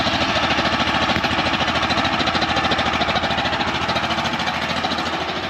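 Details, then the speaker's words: Champion 100812 generator (2019, sat about 4 years), running about 5 minutes under a load of several devices: uneven chug around two per second with wandering pitch; runs rough, cause not pinned down. "Doesn't seem quite right."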